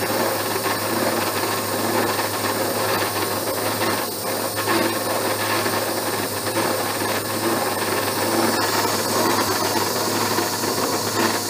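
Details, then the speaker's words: Abene mill slotting a broach bushing at the slowest table feed: a harsh, rough rasping chatter holds steady through the slow cut. The cutter is suspected to be less sharp than thought. "well slower way down but i'm still getting some chatter i said this cutter may not be as sharp as i thought it was"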